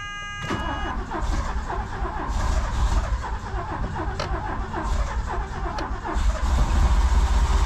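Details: 1983 DeLorean after a fuel pump fault (power at pump but no pumping) and flushing the fuel system: steady starter churning at about three to four turns a second that nearly catches but never fires. A long crank, hard start, possibly flooding.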